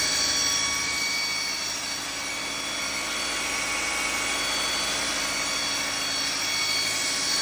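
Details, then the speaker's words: Audi/VW 2.0T turbo four, fairly okay at idle: a steady, high whirring whine and howl ride over the engine when revving; owner suspects a balance-shaft bearing, unconfirmed. "kinda okay at idle. But it sounds whirly. Like a whizzy noise. I suspect the balance shafts are out."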